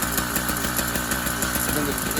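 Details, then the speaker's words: Brand-new YD100 two-stroke bicycle engine on a Kent Bayside Cruiser during break-in, piston rings and cylinder not yet heated and sealed: fast, busy popping at a steady idle with a faint unevenness. Slightly uneven idle, normal during break-in. "they want a little break in time for the piston rings to heat the cylinder and all the rest of the parts will get a little heat in them and seal"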